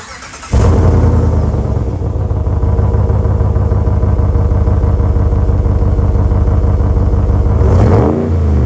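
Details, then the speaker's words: 2026 Ram after fitting a Borla muffler in place of the muffler delete: engine catches and settles into deep steady idle burble, no rasp or cackle; well toned, about 40% louder than the Pro XS. "So I am much happier with that. It is nice and toned at idle. It does not have any rasp or any cackle, but it's got probably 40% more volume than the Pro XS did."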